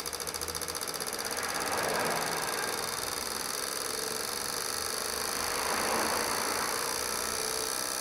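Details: Corsa Classic 1.6 8-valve, towed in not starting with dripping injectors: after injector cleaning with new seals and filters, bench test shows rapid even ticking about four per second with no stumble and no dripping; injectors pulse cleanly.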